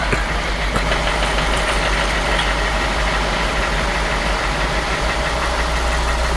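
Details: F10 BMW 550i, N63 V8, at idle: heavy steady knock above the engine hum, no misfires or warning lights; bent rod suspected, piston striking crank counterweight.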